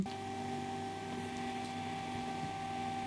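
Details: Ryzen 9 9900X and RTX 5090 Founders Edition SFF PC at first successful power-on after flipping the power/reset cable: quiet, steady fan hum with a constant faint whine, no clicks or buzzing; runs normally.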